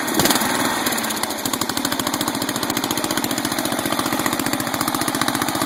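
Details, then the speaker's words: 12.5 hp flathead engine, unrun for about a month: fast uneven popping around three and a half pulses a second, wants to die when backed off high throttle; backfiring through carb, suspected dirty carburetor with rust in bowl. "Backfiring through the carb. Carburetor may be a little screwy on the biohazard, so we're going to pull her off and clean it."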